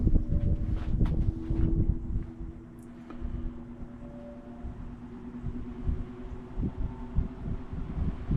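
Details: 1949 GE Vortalex 16-inch fan, unused over a year, cold-started, now at speed on high: steady low motor hum at even pitch under some wind and handling noise; runs smoothly and healthy.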